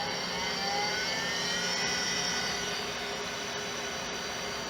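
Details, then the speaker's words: 1987 Compaq Deskpro 286 IDE hard drive: rushing hiss with faint high tones sliding slowly downward as the drive winds down right after a brief spin-up at power-on; drive spinning off, cause unclear. "do you hear that it sounds like it just spun off"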